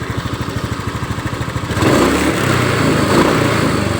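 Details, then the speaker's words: Honda Scoopy that was hard to start and stuttered on throttle; plug change didn't help, injector removed, spray-tested good and refitted: steady even idle picking up smoothly into a clean rev, no stumbling, running normally again after repair. "Setelah kita buka injektor kita tes semburannya. Semburannya bagus, kita pasang lagi normal lagi."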